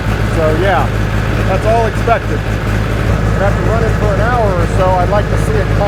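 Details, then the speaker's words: Freshly rebuilt John Deere 1010 diesel just after first start: steady low clatter at an even idle, no knocks or misses; smoke expected as cylinders were oiled and new rings need to seat; healthy running. "I oiled everything there's plenty of oil in the upper end of those cylinders and the Rings need to seat"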